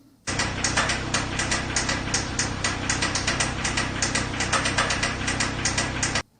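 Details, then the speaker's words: 2.3L Mazda/Ford MZR Duratec engine from a 2005 Mazda Tribute with 158,000 miles, a type known to burn oil: running steadily with an uneven, rapid tapping knock of about four per second over the idle clatter, bottom-end knock, cause unconfirmed. "I I know it's only happened one other time in the past and it doesn't sound good does it it's got a little bit of knocker and cheese in it"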